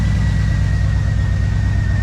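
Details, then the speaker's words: 1997 Mustang, first start after engine rebuild with bent connecting rod replaced; V8 idles heavy and uneven with a loping beat, as if running on six cylinders; lifters quieted once oil pressure came up; misfire and rough idle, cause unconfirmed. "it feel like it's running on six it looks kind of wobbly"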